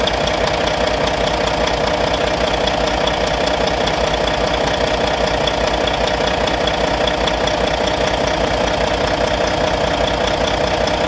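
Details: Volvo VNL truck with a D13 diesel at idle, after the injectors were replaced: even, quick tapping about two or three per second over a steady idle. Owner suspects lifter noise; cause not confirmed.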